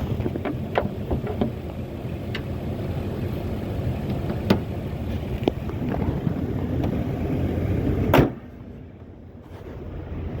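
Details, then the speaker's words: 2007 Ford F250 cargo van after alternator replacement, charging about 14.4 volts: steady even low idle, no knocks or misses, hood slam near end; engine running healthy. "well here we go guys another happy customer cing like a cat she that b be running there she is"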